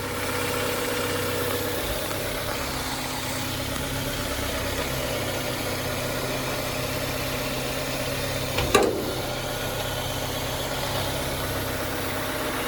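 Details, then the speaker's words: 1996 Integra with a swapped engine and automatic, only just started and still warming up; the owner plans a transmission oil change for shifting: a smooth, quiet, even idle hum with no knocks or smoke; normal idle. "Make sure nothing's smoking or doing anything weird down there, you know. Damn, that is quiet."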